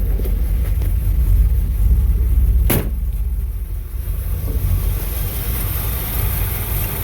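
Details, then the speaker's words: 1964 Impala V8 after swapping the original Rochester 4G carburetor for an Edelbrock 600 cfm 1406 with manifold adapter, warmed up and timing set: deep, steady, even idle with good throttle response, no misses or knocks. "Yeah, that runs good. Throttle responses."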